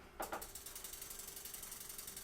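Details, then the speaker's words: Bicycle disc brake after loosening and re-tightening the caliper bolts with the lever held: even freehub ratchet ticks slowing as the wheel coasts, no hiss or rub; brake now runs clear. "Como tenemos los clics de los trinquetes, no sabemos si está rodando, si está sonando, vamos a pedalear. Ah, pero ahí ya no se escucha el No se siseo. escucha."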